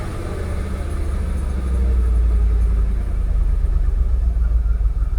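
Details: Jaguar XKR (X100) V8 blipped after genuine Denso coil packs were fitted on Bank 1: a deep rumble that stumbles unevenly. Multiple-misfire pending codes, open loop and restricted performance have returned.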